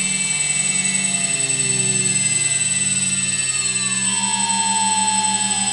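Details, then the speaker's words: Quadcopter with MultiWii flight controller, armed and throttled up: several high motor whines hold steady while one slides down in pitch and fades. The left-front and right-rear motors lose speed and stop; owner suspects FC settings or sensor. "they all start up just fine but then uh left front and the right rear those two right there they just start losing speed and stop"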